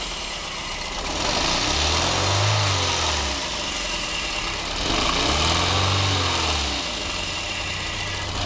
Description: Misfire. Reving the engine, note vibration.